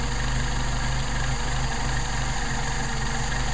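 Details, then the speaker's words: Mercedes 190SL with rebuilt Solex carburettors, warmed up, idle mixture screw turned in past its setting: loud idle with an uneven, lumpy beat that keeps stumbling and worsens, showing how the engine sounds when the mixture is off. "hear it stumbling hear it getting worse uh that's give you an idea how it sounds it gets worse but you don't get to that point"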